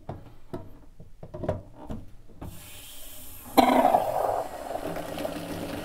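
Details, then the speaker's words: Watts 909 1-inch RP backflow assembly from a sprinkler system, inlet on, outlet shutoff closed: quiet handling then a sudden steady rush of water that keeps running; relief valve dumping because its stem was misassembled. "we've got it coming out pretty good out of the relief valve right now so we need to figure out what's going on with that"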